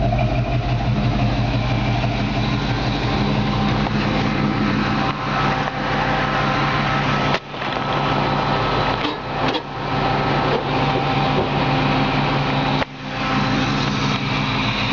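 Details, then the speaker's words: 1954 Chevy 3100 truck on a 1970s Nova chassis with a recently rebuilt engine, serpentine belt and exhaust, cruising temperature 190–195. Smooth, even low idle with a steady exhaust beat and no ticks or knocks; normal idle. "got a serpentine belt system you can hear the engine just run perfect I mean fantastic"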